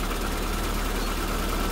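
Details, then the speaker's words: SPI Mini, petrol, cold engine in warm-up cycle, throttle untouched, about 1200 rpm per code reader, coolant temperature rising; even raised idle with steady low drone and slight hum, no misses or knocks; normal fast idle. "yeah it's under warmup cycle right now so it's about 12200 RPMs"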